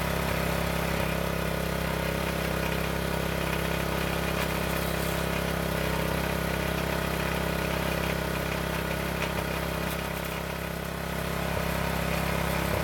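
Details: County Line tiller's small single-cylinder engine after a storage no-start traced to ethanol fuel, running on fresh 100% gas after a couple of pulls: steady, even putter with no misses, knocks or surging; it runs well.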